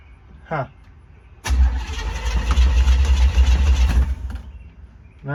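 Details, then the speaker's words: 1972 Chevy C10, 350 V8 with 3-speed automatic, not run in years: even starter churn about three and a half turns per second for nearly three seconds, never catching; out of fuel, started after adding gas. "I think it needs more gas."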